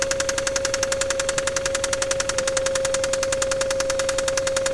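Sharp, regular knocking near four per second over a steady tone, hammering through the idle: a spun rod bearing knocking.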